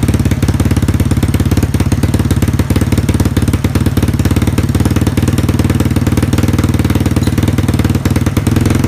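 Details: Yamaha Mio scooter just fitted with a Moxis 58.5mm bore-up block without squish head, 58 piston, stock valves, stock "bobok" exhaust, carburetor installed: a loud, even single-cylinder putter at idle with a firm beat and no ticking or clatter, running healthy.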